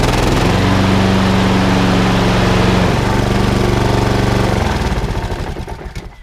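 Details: Honda HRX476 lawnmower, unstarted for about 6 weeks, rota clutch that would not turn off under investigation: steady, even, unbroken single-cylinder drone for several seconds, then winds down and stops; normal running.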